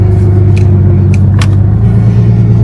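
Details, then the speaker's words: Car that sat a long time, engine idling and not going into gear: a constant whine holding pitch over a low hum, from the transmission pump, not power steering. "hear that that's not power steering that wine is from the transmission pump"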